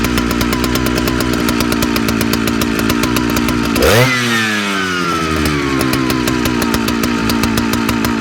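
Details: Big Jonsereds chainsaw: fast crackle whose speed sags and recovers midway, as if starving for fuel; owner suspects fuel line or seals (carb kit) needed; uneven running, engine surging.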